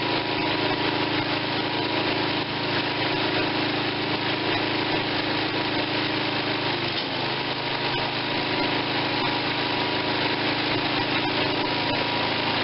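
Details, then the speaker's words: Tecumseh 5.5 hp engine bought with a stuck valve and no compression, carburetor seeming fine: a steady, even buzz with no misses or knocks, running smooth; owner plans a head gasket and a compression retest; normal running. "but she's running she runs smooth so we can only make it better from here"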